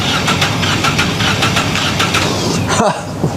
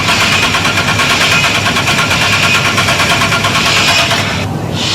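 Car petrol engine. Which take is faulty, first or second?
first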